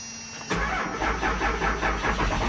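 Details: 12-valve diesel cold start: brief cranking catches at once into a steady, even diesel clatter at idle; healthy cold start with no misses.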